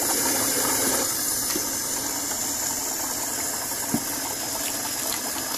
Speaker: there you go chry Trump is working after a few seconds it stabilizes and actually flows pretty decently